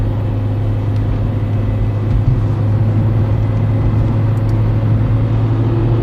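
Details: Peugeot 307 1.6 16v gearbox making a strange steady low drone with a humming band under the engine; gearbox oil changed (old level was not low), shifting improved but noise remains; owner suspects faulty gearbox thrust bearing.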